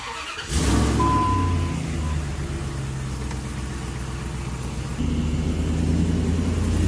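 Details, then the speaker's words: 2005 Dodge Ram 1500 4x4 test drive after swapping in a salvage-yard 2003 rear axle; the old axle had noise under throttle, pinion suspected. Steady low engine and drivetrain hum pulling away and cruising, with no grinding, whine or clunks. Normal differential. "sounds very good so far no grinding no rattling oh man this is great oh man this is like a whole new truck dude"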